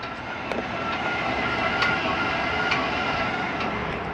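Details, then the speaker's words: Jayco Eagle 340DROK travel trailer, stabilizing jacks retracted from the outside control panel: continuous even motor whir with faint steady ticking, no grinding or straining; normal stabilizer jack retraction. "so other than inside you can also do the rear and front stabilizing jacks from here and continue bringing them up real quick"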